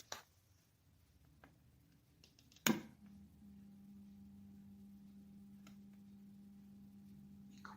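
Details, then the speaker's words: Electrolux fan switched on: steady low electric hum as the motor strains but cannot start turning, shaft seized by dust mixed with old lubricant. "como pueden sentir, el motor hace fuerza para girar o para arrancar y no puede hacerlo."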